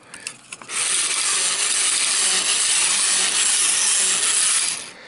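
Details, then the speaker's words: 50-year-old Mr Mercury tin battery-operated toy robot, walking drive motor after lubrication with WD40: high, thin, steady gear-motor whir for about four seconds with no grinding; the robot walks fine. "I fixed the walking motor first and it turns out there wasn't much wrong with that basically all I needed was some lubrication and I went with the old WD40"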